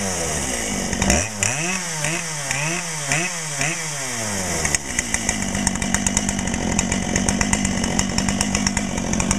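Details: Brand-new Dolmar PS-7910 chainsaw, 28" Sugihara bar, factory carb settings, second start, a little warm: several throttle blips, then a held high rev with a slightly burbly, uneven edge; owner suspects a little rich, or possibly hitting the limiter, and plans a tach check.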